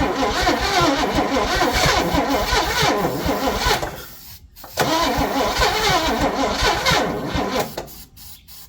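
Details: 1961 Chevy Impala four-door, sat 20 years, first start: cranks, catches, runs rough and uneven, stumbles near-silent briefly, then fires again; first start after long storage, battery needs charging.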